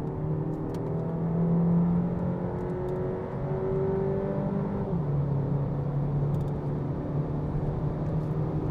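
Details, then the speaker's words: 2020 Renault Megane Icon 1.3 TCe turbo petrol, in sport mode at full throttle on road, reaching about 130 km/h. A smooth climbing engine note with one clean drop at the gearshift: normal full-throttle acceleration. "Tam gaz oturdum. Hızlanma çok güzel. Ses harika."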